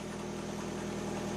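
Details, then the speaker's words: 2009 Toyota Camry four-cylinder that started but stalled on throttle, found with exhaust back pressure from a clogged catalytic converter: steady, even, smooth idle after relieving restriction; normal idle, needs a new converter. "It runs fine. You can you can actually drive the car now."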